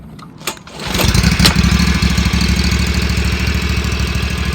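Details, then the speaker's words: Exmark Ultracut 48 commercial stand-on mower, possibly old fuel after over a year in storage: brief crank, catches within a second and settles into steady even putter; normal cold start. "this machine may have old fuel from being in storage for over a year so i'm going to go ahead and start it it starts right up here we go"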